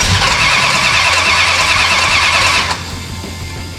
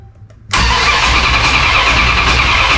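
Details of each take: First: 1969 Dodge Charger General Lee, freshly installed engine, starting attempt with gas dumped into the carburetor: starter turns about three beats a second, then drags and stops as the battery goes dead; slow cranking, weak battery. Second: 1969 Dodge Charger V8 during restoration, no fuel and no spark, cranked only to test: loud, steady starter churn turns the engine over evenly without firing; normal cranking.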